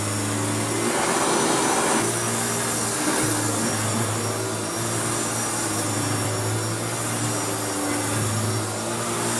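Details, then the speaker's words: Restored Hoover Turbopower U2724 upright vacuum after refurbishment, on high setting on a deep-pile carpet: steady, even motor hum with constant low drone and airy rush, no rattles or speed changes; normal running on high. "let's start it off on high just to see if it does anything"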